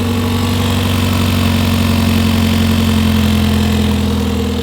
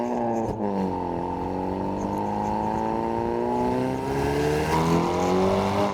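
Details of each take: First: Hyundai Veloster N turbo petrol engine at idle on jack stands, just after a Depo Racing catless downpipe install: raspy, puffing chuff over the exhaust note from a leak at the downpipe, where two bolts are stripped. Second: Hyundai Veloster N with Depo Racing catless downpipe and JB4 tune, in normal mode with valved exhaust closed: smooth even drone climbing gently with revs, much quieter, no pops or crackles; normal exhaust note.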